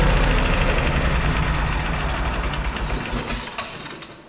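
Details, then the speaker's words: Kohler CH750 engine on a Miller Trailblazer 302 Air Pak welder, after repair work including the flywheel magnet air gap: steady, even low thrum at about three to four beats per second that fades away, running smoothly and healthy. "you guys hear that that hasn't sounded that good in Millennium"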